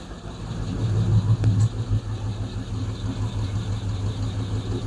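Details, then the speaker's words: Freshly built Hemi V8 in a Plymouth Duster with homemade intake, on a temporary fuel setup: a rough lopey idle with a light irregular clatter about three beats a second, one lifter clanking; owner fears bad lifters. "I just got that one lifter clanking. That bothers me."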